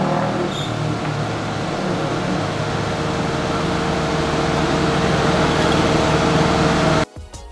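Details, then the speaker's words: Car radiator fan check, engine held at steady fast idle with coolant about 83°C after 3-4 minutes: steady even whoosh and constant hum as the radiator fan switches on, no rattles or scraping; fan working normally. "Okey, so sekarang kipas radiator dah berpusing. Kita hanya memerlukan lebih kurang 3 minit lebih ataupun 4 minit."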